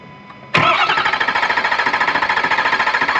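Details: 6.7L Power Stroke diesel after fuel line replacement, first start after fuel spilled out on an earlier attempt: brief crank, catches and settles into even steady idle around three and a half beats a second; starts and idles fine.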